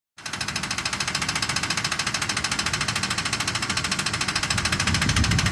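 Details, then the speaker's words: Ford F-150 recently bought, engine running: sharp, regular knock about three and a half per second; cause unknown. "alguien sabe que existe ruido por favor me lo comunica apenas la compré hace no mucho y empezando en el ruido desconcierta así es tu amigo"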